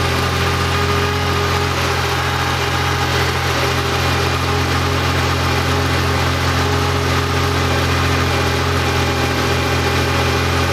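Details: Freshly rebuilt Porsche engine with CIS fuel injection (fuel distributor and warm-up regulator under test), cold start after sitting overnight with the air filter on and pressure gauges removed: it settles into a smooth, steady, even idle with no stumbles.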